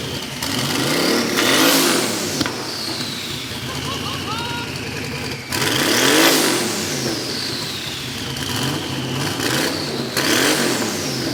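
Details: Twin-turbo VK Calais after injector and pushrod fixes, before its tune: three sharp blips about four seconds apart, each rising and falling cleanly with turbo whistle, no misfire or knock. Healthy.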